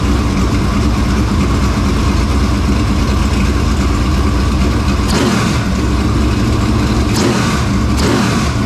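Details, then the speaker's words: Dirt Late Model race engine just started after carburetor work: deep, lumpy idle that snaps cleanly up on each blip and drops back steady. Normal, healthy idle and revving. "Hey, I think it sounds pretty dang stout. It does. Sounds good to me."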